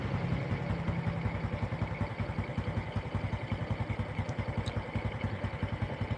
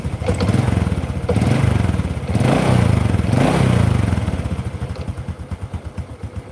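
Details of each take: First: Honda Karisma motorcycle after engine rebuild with new parts, freshly assembled: even steady single-cylinder idle with stable exhaust, no misses or knocks; cam chain and valve noise normal, very smooth. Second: Honda Karisma motorcycle, just started: uneven popping idle won't stabilize, stumbles and dies if throttle opened quickly, needs slow throttle to rev; engine running rough and lacking power.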